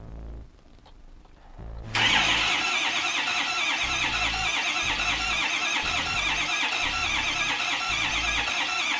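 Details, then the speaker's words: 2005 Ford F-250, 6.0L Power Stroke diesel, no-start complaint: starter cranks steadily with even compression pulses for about seven seconds but never catches. "And as we can see, the truck will not start."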